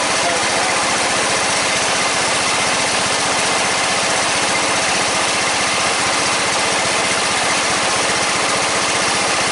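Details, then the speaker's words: 14.5 Briggs & Stratton single-cylinder lawn tractor after a no-start fix with a new fuel line, running with the breather on; settles into a steady, even putter with a constant exhaust beat and no misses; normal idle. "Looks like that was the problem. So red tractor's back up and going again. Pretty happy with that."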